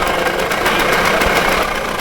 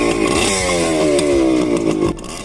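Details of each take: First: Budget $500 adventure motorcycle, single-cylinder: raspy, uneven running with a harsh, choked exhaust note and rough beat. Exhaust leak noted and a clogged exhaust suspected. Running poorly, cause unconfirmed. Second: Cheap $500 used adventure motorcycle, not fully warm, started after earlier attempts: crisp revving rising and falling cleanly with throttle, no misfires or knocks; sounds good.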